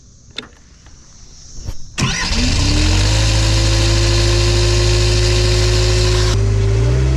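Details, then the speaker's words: Hitachi EX75UR excavator diesel after start: a steady whirring keeps going over the idle and never drops away; starter motor running continuously for a minute or two after start, cause unknown. "dude I think that starter is like running the whole time do you hear that shut down that cannot be good starter's been run that was running for a minute or two"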